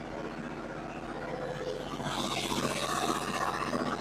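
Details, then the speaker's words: Yanmar 15 kW diesel generator, just under 800 hours, after fuel priming: diesel catches and settles into even steady clatter with no misses or knocks; normal start, to run half hour to temperature. "Okay, so we got it fired up. I'm going to let it run for about a half hour. uh get it up to temperature, make sure it's doing what it's supposed to be doing, running where it's supposed to be running."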